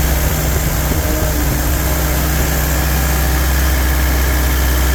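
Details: Rebuilt '48 Willys spare engine, choke set a little, 30 psi oil pressure, deep, steady low thrum with an even beat, no knocks or ticks or bad noises; normal idle.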